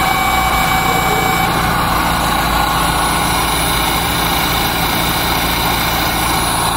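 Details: Dodge Neon after fixing a loose contact that caused no-start following oil pressure switch replacement: engine settles into a smooth, even idle with no knocks, ticks or stumbles; healthy running.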